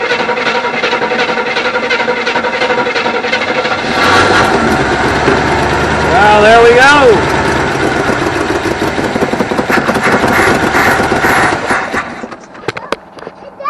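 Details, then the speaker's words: 1974 Avanti V8 not run for a long time, after confirming spark and adding fuel to carburetor: catches and runs unevenly several seconds then dies; brief start then stall, seems to run on all eight cylinders, cause unknown. "yeah it went for a little bit thank you all right as you've seen I got the car to start up and run we're gonna see if we can get to run a little longer it didn't like that"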